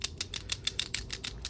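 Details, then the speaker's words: PCV valve from a 5.7 Hemi Jeep, shaken by hand during an oil catch can install: crisp, light ticks about six or seven per second. The free internal rattle shows the PCV valve is good. "I'll get back to you guys. That's how you know your PCV valve is good."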